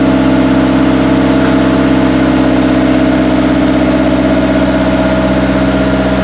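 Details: Start after a five-month winter build, ahead of a clutch and transmission test: the engine catches and settles into a smooth, even idle with a steady hum, no knocks or belt squeal; sounds healthy.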